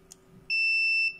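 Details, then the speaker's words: Logitech S-220 speaker system amplifier with no bass output, capacitor on multimeter continuity test: steady high beep about half a second, then cuts off as it charges; normal capacitor charging, capacitor good. "bakın kesti yani 3300 mikrofarat olmasına rağmen belirli bir süre sonra kesiyor"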